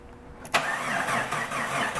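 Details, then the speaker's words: Vehicle with a slow-cranking complaint, tested going into winter: sluggish, laboured crank pulses with about 175 A starter draw; the battery tests bad and can't hold voltage, and a poor battery connection partly contributes. "but you can hear that the vehicle cranks slow and part of that is the battery connection"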